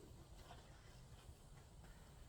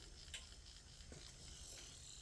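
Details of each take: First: Small slow motor after cleaning, lubricating and oiling its bearings, previously noisy: only a soft, even low hum with no grinding, squeal or knocking; runs quietly and smoothly. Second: now it's not all that noise these bearings need to be oiled that's what we're gonna do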